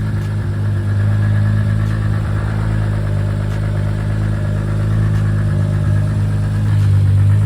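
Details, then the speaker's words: Toyota Supra big-turbo build, first start, custom true 4-inch exhaust, small oil leak at the oil cooler sandwich plate. Deep, steady, even idle with strong low rumble, slight turbo whistle, no knocks or misses; running healthy. "so as you can hear the exhaust sounds so good that exhaust that I fabbed up there the true 4 in all the way back you can hear a little bit of the whistle of the turbo at the back of the exhaust"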